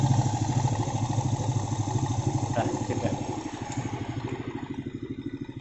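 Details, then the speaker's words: Vega ZR single-cylinder had a rough noise and heavy smoke three months after boring, with its piston at oversize 100. After refitting with a Vario 125 piston and checking oil flow to the top end, it idles as a steady, even, smooth low putter with no rattles: healthy. "dan piston beach suaranya Udah halus mudah-mudahan ini tangan sampai bertahun-tahun kemudian ya"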